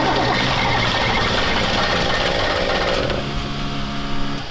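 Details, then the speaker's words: Diesel truck with air in the injection lines, lines being cracked to bleed it and a fuel filter leak: long uneven cranking with ragged, stumbling firing that never settles into a clean run. "So we're cracking injection lines to get the air out of the injection lines. So that way, because if there's air in a diesel, it's not gonna run. It'll run, but it won't run very great, just like you just saw."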